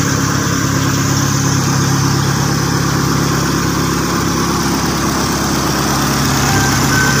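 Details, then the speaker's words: Suzuki Jimny with a stock engine, first start after restoration with the exhaust muffler removed: a loud, raw, blatting idle with a deep steady throb. It is noisy because no muffler is fitted; a larger tip is planned. "anya agak berisik karena di bagian dari e nalpotnya masih kita lepas nanti kita proses lagi kita pasang moncong nalpot yang agak gedean lah seperti ini"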